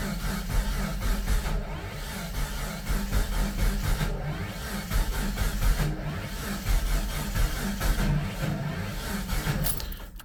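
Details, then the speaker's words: Jeep Comanche first start after sitting 2 years, low battery voltage reported, a low lumpy galloping idle that surges and stumbles; rough running from ignition timing set way off. "kind of weird. It's kind of weird. It's really gallopy."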